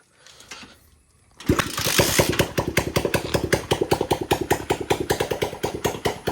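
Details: Homemade petrol off-road buggy, kick-started with no fuel overflow now: the engine catches and settles into a crisp, even single-cylinder idle around 150 beats a minute, running cleanly, though it still needs more tuning.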